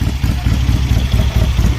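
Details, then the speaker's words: 1970 BSA Thunderbolt 650 during work on burnt-out wiring, kick-started on the side stand with petrol on both taps and carbs tickled: twin thumps along at an even steady idle with no misses, knocks or rattles; normal idle. "That sounds nice."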